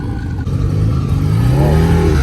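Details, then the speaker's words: Honda Civic at a car meet, revving: deep boomy rev with a loose, rattly edge, louder and rougher than it should be; onlooker suspects an exhaust leak. "someone's making all this noise over here i gotta go check it out no way that silly's making all that noise no way i think the civic's got an exhaust leak or something"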